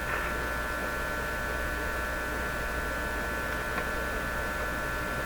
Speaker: I'm gonna give this a that P percent chance of being the fix 50% that same buzzy hum I was talking about